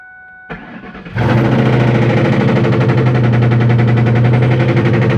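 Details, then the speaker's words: 2001 Ford Mustang GT V8 cranks, catches and settles into lumpy idle with steady rapid knock about four per second; owner calls it rod knock. "That's what you call rod knock, boy. Rod knock right there."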